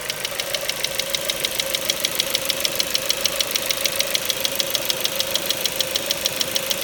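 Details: Engine knock on a Ford Mondeo 4 with 2.0 Duratec HE, 89,000 km, LPG fitted at 70,000 km, at steady idle: sharp, even top-end ticking about 200 per minute. Owner rules out valves and swirl flaps, suspects petrol injectors; knock vanished when revved to 7000 rpm stationary.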